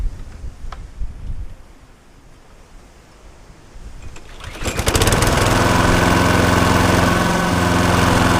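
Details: Viking lawnmower after blade boss repair with two bolts, crank found not bent, oil slightly overfilled: engine catches and settles into a fast even drone, no knocking or hunting; no longer vibrating, running normally.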